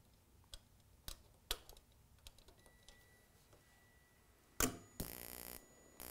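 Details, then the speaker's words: Gas furnace intermittent pilot ignition using the spark igniter as flame rod, 27 V measured: sparse sharp igniter ticks about every half second, then a soft whoosh as the pilot lights; ignition working normally. "so you see we have 27 volts and you do hear and see the pilot flame"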